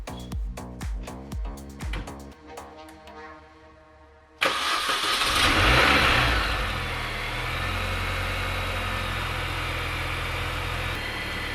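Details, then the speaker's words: 2002 Mini Cooper S R53 after supercharger repair and reduction pulley fit: starts and settles into a steady, even idle with a light whir, no rattle or whine; the earlier supercharger noise seems gone. "That sounds pretty good. I haven't found any issues with the car yet, so I think it is safe that we go for a test drive."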